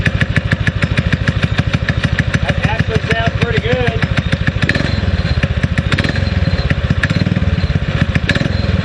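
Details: Predator 6.5 clone single-cylinder engine on a springer bike, just re-jetted carb and cleaned plug: steady fast-idle chuffing with slightly uneven exhaust note; sounds like missing but owner thinks it's just exhaust note, responds well, runs fine.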